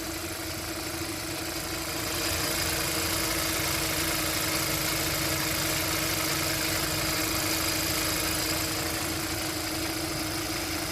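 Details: 2012 Kia K7 2.4 GDI Theta II gasoline, after engine boring/rebuild, new ignition coils and spark plugs: even, steady idle with a smooth constant hum, no knocks or rattles; noise and shaking seem gone, engine settled and healthy.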